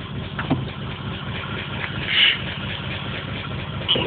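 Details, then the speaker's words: Engine with fresh plugs replacing black fuel-soaked ones, P0300 and pending P0300 set, check engine light now solid: uneven stumbling idle; random misfire, cause not pinned down. "okay so i got the po300 and the pending po300 so that's the misfire code so it's both misfires"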